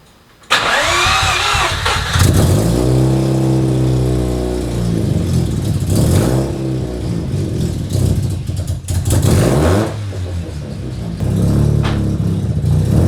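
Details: Mazda RX7 rotary, off the street 2.5 years, first test start before driving out of garage: starter catches, engine fires and revs in blips with pitch rising and falling, then settles into running idle; healthy start.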